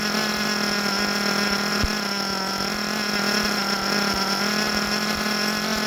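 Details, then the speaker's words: Force Pro 21 nitro engine on Todd Method break-in, idle raised to ensure starting: steady even high buzz, slightly soft and burbly, good smoke; running rich for break-in, temperature about 189 and steady. "We got good smoke. I like seeing that. We're good and rich."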